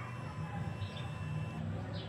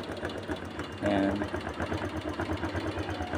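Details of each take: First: Honda Click 125 version 2 scooter cranks with a steady starter whir but won't start; fuses fine, battery 12 V dropping to 11.5 V while cranking; spark plug found wet, very dirty, with too wide a gap. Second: Honda Click 125 version 2 fuel-injected scooter idling steadily with even quick putter after starting; no-start was caused by a dirty, soaking-wet spark plug, to be replaced with new.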